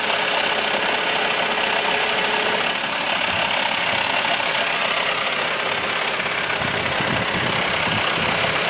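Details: VW T5 with the 2.5 AXD diesel idling, a loose, uneven metallic clatter over the engine note, rattly rather than clean; the clatter is worst when turning the steering wheel, and its source is not pinned down.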